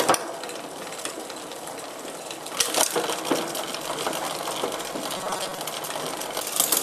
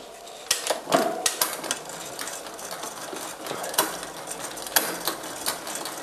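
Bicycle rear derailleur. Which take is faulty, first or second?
second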